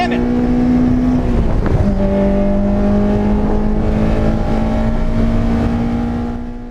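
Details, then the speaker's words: Freshly tuned Honda S2000 on track: the high-revving engine stumbles and breaks up briefly, then pulls on. The misfire hit at 7,500 rpm on every throttle application from the third lap, was suspected electrical, and remained unresolved. "was happening at 7,500 rpm every single time I went on the throttle which gave me the impression that it had to be an electrical issue"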